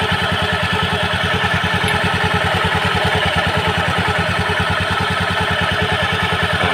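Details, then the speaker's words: Honda Beat scooter idling with a steady, loose clatter from the CVT belt-drive side, harsh when throttled; worn, shrunken variator sliders found on disassembly. "kali ini kita sedang bongkar CVT Honda Beat dengan permasalahan suara pada area CVT dia berisik grup kita hidupkan saja"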